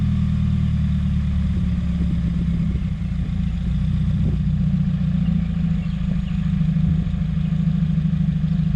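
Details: 2017 Subaru WRX after aftermarket charge pipe and top-mount intercooler install, same with OEM parts refitted and blow-off valve kept: low uneven stumbling idle, stalls, white exhaust smoke; owner suspects boost or vacuum leak.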